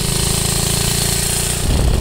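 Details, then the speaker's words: 1969 Taco minibike with original centrifugal clutch, going downhill under load: fast, even single-cylinder chatter that stumbles and sputters; engine bogging from the slipping centrifugal clutch, engine itself fine, extra vibration noted. "that sign number two that the centrifugal clutches that is engine bogging it's nothing to do with the engine the engine's completely fine"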